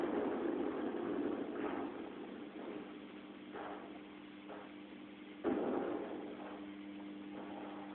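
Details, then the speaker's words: M-Audio Conectiv soundcard output on 9 V AC adapter: after the thunder-like noise, a steady clean low electrical buzz under faint background noise, source still unknown; grounding it later removes the noise. "That's a nice, clean buzz that we can hear now. But then again, where does it come from?"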